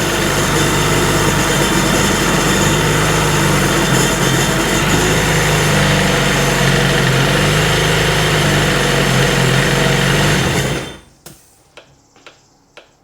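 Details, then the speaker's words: 2003 RXDI after a new starter was fitted and the maintenance-mode code was cleared. Steady, even engine drone with no misses or knocks, sounding better, though the original problem returned later when run on the hose. "She's sounding better."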